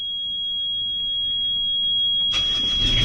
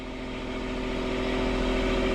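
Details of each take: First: Sailboat port diesel being restarted after all four engine mounts snapped in a collision with a submerged log and were repaired. It cranks, catches and settles to a fast, steady clatter, idling too high because the throttle cable bracket bent. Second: Port sailboat diesel at anchor in forward gear after repairing all four engine mounts, snapped by a submerged log strike; a steady, even drone with no shudder or knocking. It is not vibrating and sits solid on its repaired mounts.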